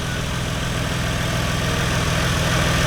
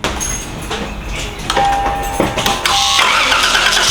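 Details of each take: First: Lexus GS300 with a turbo 2JZ-GTE VVTi engine, just after fitting a new Gates FleetRunner serpentine belt: smooth, steady idle rising slightly, with no squeal or chirp and nothing skipping; the belt drive sounds healthy. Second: Lexus GS300 2JZ-GTE VVT-i turbo, old belt before new Gates belt fitted: engine starts and idles with loud steady high-pitched squeal. Glazed serpentine belt squeal.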